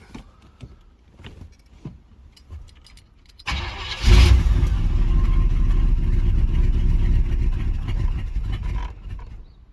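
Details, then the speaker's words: Carbureted 305 H.O. small-block Chevy V8, cold first start of the day at 61°F with the choke fully open: cranks, catches after one pedal pump, runs rough a few seconds, then dies. Only stays running around 1200 rpm with the pedal held; cause not confirmed. "started up after one pump but didn't stay started try it again one pump ready one"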